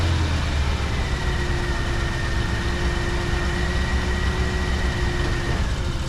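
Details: 1968 Oldsmobile Delmont V8, started easily: even, settled idle with a smooth steady beat, no ticking or knocking; normal idle.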